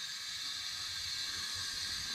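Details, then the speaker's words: '51 car engine after a burnout shut it down, leak-down test at 80 psi holding about 55: continuous high airy hiss with engine off, possibly from exhaust or intake, source not pinned down; leakage is large. "on your exhaust and maybe go check that help put your ear up to it that'd be coming out right there"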